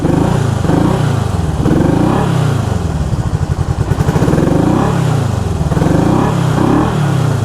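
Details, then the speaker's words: 1974 Honda CB360 twin on a test ride after a points adjustment. Lumpy, uneven exhaust beat as revs rise and fall, with half the pulses missing. Running on one cylinder; the left cylinder is dead from a points wire grounded by the points cover. "It was running on one cylinder. Left side was dead."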